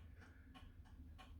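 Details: Renault Spider parked: indicator/hazard flasher relay ticking crisply about three times a second over a quiet hum, normal but inaudible on the road, hence owner fitting a telltale speaker.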